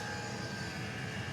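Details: Custom hybrid water heater, Webasto water-heater body welded to a Chinese diesel heater, at max after about 10 minutes' warm-up with water near 90°: even, unbroken burner roar with a steady high fan whistle, no surging or popping. Burning cleanly at full output.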